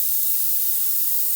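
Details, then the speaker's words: New replacement compressor being prepared for installation: steady hiss as the access-port Schrader valve is turned open, releasing its nitrogen holding charge. Both compressors held nitrogen, a good sign. "I can now turn that counterclockwise and you can hear the nitrogen beginning to be relieved"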